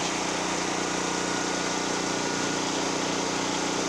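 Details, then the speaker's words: Generac GP5500 generator, having sat unused for 2 years, carrying a 1,500 W heater plus a 1,270 W heat gun: loud, steady drone holding an even pace under load with no surging or misses; normal running under load. "So I did have a 1,500 watt heater on there and a 1,270 watt heat gun. And you could hear it loaded a little bit."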